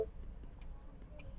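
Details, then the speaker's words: 2012 Mini Cooper 1.6L manual, crank no start, new fuel pump already installed, engine off during fuel pump active test: faint relay clicks about every 0.6 seconds, no fuel pump hum; code for low high-pressure fuel at cold start. "General fuel pump only with engine off do we get anything nothing I opened that valve up I hear the fuel pump relay"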